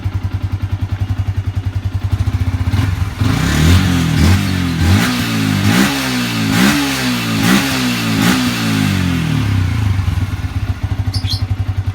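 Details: Yamaha Vixion motorcycle engine after reboring to cure a throttle-following ticking from a worn piston and block, compression back to normal: even idle pulses, clean throttle blips and return to idle with no knock; healthy.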